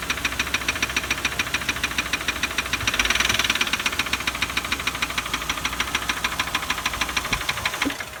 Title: Ford 4.2l v6 OHV engine ticking noise clicking sound